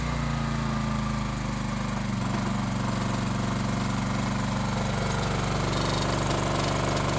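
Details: Low-hours Honda EX1000 generator driving a heat gun on high at full load (maybe around 1350). Steady, even hammering drone holds its speed with no misses or hunting; normal running under heavy load.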